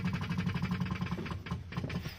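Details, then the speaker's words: Right-hand-drive Morris, SU electric fuel pump priming before a choked start: rapid ticking of about ten clicks a second slows to a few spaced ticks as the bowl fills. "Let that SU fuel pump up properly. You can hear the"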